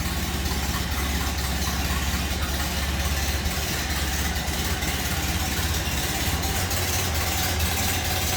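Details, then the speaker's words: 1930 Ford Model A Tudor sedan, heard from the rear (engine called a 201 cubic inch L-head inline): slow even idle with steady exhaust beat, no knocks or misses; normal. "Slip around to the back so you hear it run. Sounds like you expect Model A to. Again, that 201 cubic inch L-head inline 6."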